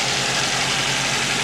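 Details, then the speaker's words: 1986 Toyota Sprinter Trueno AE86 GT-Apex, 4AG engine, 131,324 km, aftermarket air filter, catch tank, exhaust header and plug; started without problem after apparently sitting long; steady even idle, smooth low pulse, plenty of intake hiss, no knocks or misses; normal idle. "people saying that the engines don't sound right this one sounds good to me it's got aftermarket air filter catch tank HIDs exhaust header aftermarket plug"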